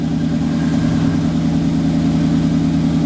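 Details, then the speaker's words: Blazer starting alongside a 66 warming up: low, even, very quiet idle with a steady beat, no knocks, ticks or misses; engine running smooth, normal idle, left to warm up. "It's running. You can't hardly hear it."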